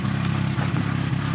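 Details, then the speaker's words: Car "Tori" climbing uphill at barely 20 km/h at high altitude in the Bolivian Andes en route to La Paz: low, labored note pulsing unevenly with brief dips; sputtering under load, blamed on thin air. "Now we've got a confident spluttering Tory barely getting us 20 kilometers an hour up the road."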